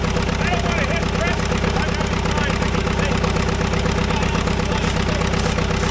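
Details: Caterpillar dozer diesel, parked since 1992, after a stubborn start: slow even chuff about 160 beats a minute with steady low rumble, no misses or knocks; normal clean idle.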